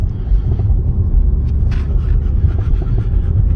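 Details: 2020 Dodge Charger 392 Scat Pack back from the dealership after a knocking repair, accelerating onto the interstate from the cabin: deep steady V8 rumble pulling strongly, no knocking or tapping; engine healthy.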